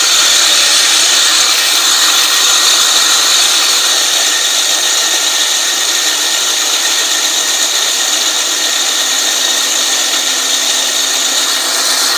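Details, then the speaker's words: California Trimmer RL205H 20-inch 7-blade reel mower (Honda GX120), reel spun in reverse by drill with lapping compound: steady high gritty grinding that quietens as compound wears off and blades sharpen during backlapping. "so hopefully you guys can hear it's almost sounding like it's quieting down and that's telling me that the compound is basically wearing itself off and the blades are getting sharper as I'm going through and doing this"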